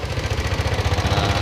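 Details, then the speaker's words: Yamaha Aerox scooter idling with a rough, fast clatter: rocker arm tick plus cam chain rattle from the head. Likely linked to a late oil change. "suara pelatuk ada suara ketengnya juga nih"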